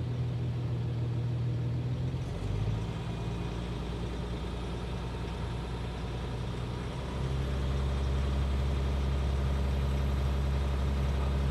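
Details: Scrapyard UHZ DT17TED4 diesel in a Citroën C6, still cold at about 12 °C, idling slightly raised: a light, even tapping about three per second over a low rumble. Owner says his previous engine didn't do this and suspects a sticking injector.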